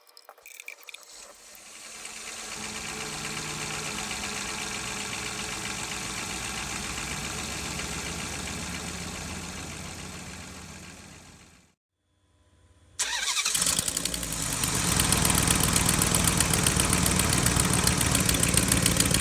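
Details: 2006 Dodge Durango 4.7L V8 2WD idling smoothly, with an even, steady exhaust note and no ticking or puffing; right exhaust manifold leak from broken bolts has been repaired.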